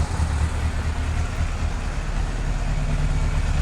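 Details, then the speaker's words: 1998 Yamaha YZF600R Thundercat after engine reinstall and transmission repair: deep, even exhaust drone without misses or knocks; runs somewhat rough, carburetion needs adjusting, but revs up, burns no oil, sounds healthy. "now it does run rough i'm gonna have to adjust that but runs sounds healthy revs up doesn't burn any oil"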